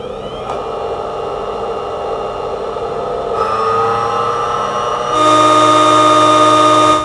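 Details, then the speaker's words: Newly assembled mini bench drill running with no load; a tachometer reads 7000 rpm. The clean, steady motor whine steps up in pitch twice and holds steady each time: spinning freely and healthy. "हमने RPM meter से इसका RPM check किया है जो कि बता रहा है 7000।"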